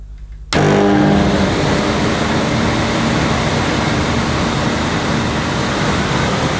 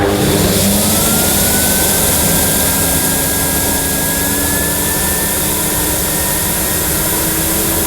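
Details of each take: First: 1998 Hoover Alpina Filtra vacuum cleaner with electronic speed control and carbon filter, switched on for the first time after unboxing: an instant loud, steady rush of air and motor with no rattles or grinding, despite "power of silence" advertising. It runs normally. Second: 1998 Hoover Alpina Filtra vacuum with the hose fitted and reaching nearly 100 on the suction scale: a steady motor roar with a rising whine and a rushing hiss as air leaks in past the suction valve and locking ring seals.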